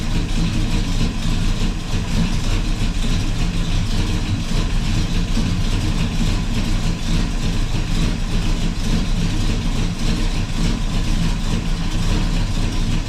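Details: 1984 Chevy truck with 454 Gen 6 7.4L big-block V8 swap, start after fuel line leak fix, radiator cap off; deep, steady, even idle with no knocks or stumbles; normal idle.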